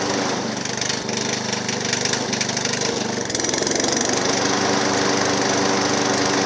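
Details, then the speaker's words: Hayter Harrier 56 Pro lawnmower, previous owner reported a funny noise; spark plug and blade bolt tight, needed carb spray to start, dirty carburetor or auto choke suspected: steady running with loose regular knock about three beats a second. "yeah definitely some kind of knocking interesting"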